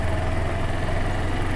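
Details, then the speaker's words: Low, soft, steady thrum with no ticks, knocks or rattles from the 2013 Suzuki GW250 fuel-injected 250 twin while riding; surprisingly smooth, though the fuel injection has a kick-forward, kickback feel. "it's very smooth it is surprisingly smooth"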